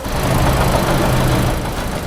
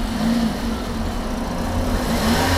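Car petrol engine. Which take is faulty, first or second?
first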